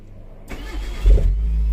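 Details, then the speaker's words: Proton Wira that cranked but would not start, after refitting the fuel pump connector: short crank, then the engine catches in about half a second and settles into a steady, even idle. Repaired. "Yes, dah boleh start."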